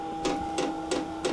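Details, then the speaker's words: Cheap Chinese diesel heater on a 12 V 360 W supply, first light-up in manual mode with a little diesel added: sharp ticks about three a second over a faint motor hum; fuel dosing pump priming normally. "pumping again yeah it's doing a [Music] thing still no again right so ticking is quite loud exhaust gas is kind of stopped but it does sound like we're heading a liftoff"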